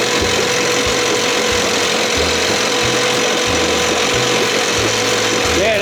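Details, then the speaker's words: 1968 Evinrude 6 hp two-stroke outboard, during timing work after carburettor and thermostat service: loud steady buzz, even low pulse, no misfire; after choke cleared it runs good. "It's that, swallows that gas where I choked it. Then the air hits it. Boom! It's running good now."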